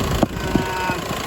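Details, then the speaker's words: 2010 Jeep Patriot 2.0 CRD (VW 2.0 TDI PD) after low oil pressure repair, fully up to temperature, recorded from underneath, no oil leaks; warm diesel ticking over evenly with steady low rumble, no stumble or knock; normal warm idle. "so the engine is completely completely up to temperature no leaks there nothing up there in them funny bolts it's bone dry"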